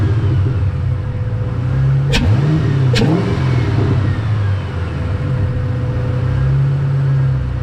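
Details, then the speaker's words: Ford Mustang 3-valve, down on power: intake found completely clogged, started with air intake removed. Idle hunts up and down, sags, wants to stall; MAP unhappy, smells of gas; rough idle with intake off. "I wonder how the car is going to run with the intake off I'm going to start it like this and see what it sounds like oh he wants the stall he's not happy"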